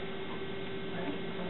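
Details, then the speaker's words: Used Macintosh SE right after booting to the Happy Mac from floppy (hard disk not recognized): constant mid-pitched hum with an airy whoosh as the cooling fan runs quite loud. "that's that. You hear the fan, it's quite loud."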